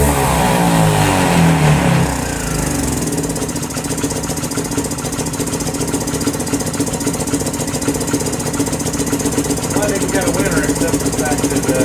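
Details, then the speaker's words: 2018 Lance Cali Classic 125cc scooter, found not running with mice in the airbox; small engine revs hard then settles to an uneven, choppy note, won't hold idle. Running rich, smells of fuel; owner suspects plugged jets and wants a new carburetor. "that not doing that not on idle I need a new carburetor"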